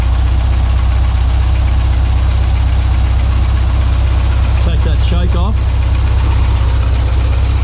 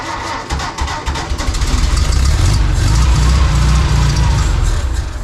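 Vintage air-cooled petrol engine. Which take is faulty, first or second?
second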